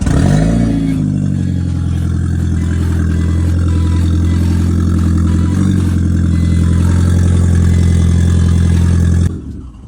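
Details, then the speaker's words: 2003 Audi TT, very loud, raw, rumbling idle just after start-up; the exhaust has broken away from the flex pipe leading to the downpipe, causing a massive exhaust leak that sounds like a straight pipe. "It's so loud. So yeah, what really happened that my exhaust pipe has broken from my flexi pipe which goes up to the downpipe."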